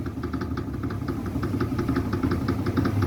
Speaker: Folga na haste do amortecedor. E o amortecedor não tá estourado, não tá vazando óleo, tá vendo?